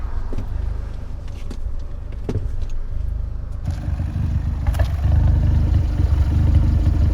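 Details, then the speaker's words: Fiat 124 Spider 1.4 MultiAir turbo recorded outside: low, uneven lumpy idle with stumbling dips; scanner showing misfire count 5-6 going up and down; suspected camshaft issue. Cause suspected, not confirmed. "It's showing 5 misfire already, 6. It's going up and down."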